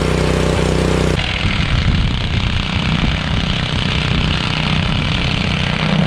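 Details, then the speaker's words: After ultrasonic cleaning of its varnished carburettor, a curb-find Honda HS520 single-stage 4-stroke snowblower throws snow well, holding a strong, steady single-cylinder chug at constant speed. Normal running under load after the repair. "This thing works great. Clean, bro. Snow really well, so I know that this is a good machine."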